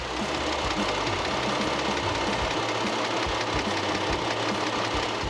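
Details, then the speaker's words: 2011 Kia Opirus Premium, about 153,000 km, petrol: even, smooth, quiet idle with a steady hum and light regular valvetrain ticking, no belt noise and no rough-running vibration; normal. "자 이제 소리에 들어본 결과 뭐 크게 특이사항 없죠 굉장히 부드럽고 정숙하고 조용한 엔진 지금 소리를 가지고 있구요 또 벨트 소리에 전혀 없고 굉장히 양호합니다 부조 나 이런 큰 떨림도 없구요"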